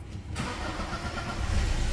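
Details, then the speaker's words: Toyota Hilux 2017 diesel at 340,000 km, after injector replacement and engine wash: cranks, catches and settles into a low, slightly uneven idle clatter; engine noise at idle, timing chain suspected due for replacement, no clear rattle. "Em breve, e bem breve mesmo, vamos trocar essa corrente de comando desse motor aí."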